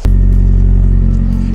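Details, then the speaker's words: VW Golf engine revved: loud, raw, deep blatting rumble from an exhaust leak, found to be a cracked exhaust flex pipe; only noise, no other problem. "en fait le problème de fuite d'échappement c'est la tresse qui est fissuré donc à part que ça fait du bruit ça posera pas de problème pour la prog"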